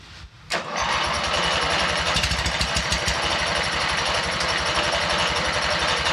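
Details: MTD mower twin-cylinder engine with a replaced head gasket, spark plugs from another mower, compression confirmed, engine flooded: rapid, uneven popping and chuffing while cranking that never settles into a steady run; mistimed ignition from a sheared flywheel key.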